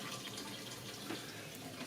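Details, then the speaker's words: Basement sump pit during washing machine drain, monitored by an ESP32 ultrasonic level sensor: steady splashing and trickling echoing in the pit, no pump motor running. Water flowing into the sump. "so this is a very volatile time right there's a lot of water running into the pump right a lot of Runner water running in the sump the you can hear it down there"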